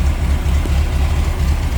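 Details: 1979 VW Super Beetle air-cooled engine, EMPI carburetor with original air cleaner refitted because the EMPI filter got oil-soaked from the crankcase vent: steady low thrumming idle, even beat about four per second, no misses or knocks; runs smoothly.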